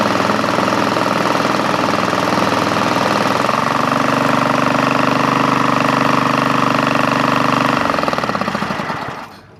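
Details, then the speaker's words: Craftsman GT5000 lawn tractor twin after Woodruff key replacement, compression about 150 both cylinders: heavy shaking rattle about three times a second, smoking a lot, then winds down at shutdown; rough running, cause unclear. "okay eggerts what could be wrong what could possibly be wrong experts experts what could be wrong I I did a compression check compression's good it's like 150 on both sides What could doing that and it's smoking a lot too that's so weird"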